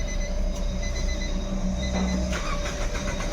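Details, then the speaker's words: Nissan Micra petrol automatic that won't start and, when it does, won't rev; it cranks steadily but never fires. The fuel line test shows no petrol delivered. Crank, no start from a failed fuel pump. "यहां पे देख सकते हो petrol नहीं आ रहा है और motor हमारी चालू है ऑन ऑफ करिए मारिए सेल मोटर चालू है लेकिन पेट्रोल नहीं आ रहा है"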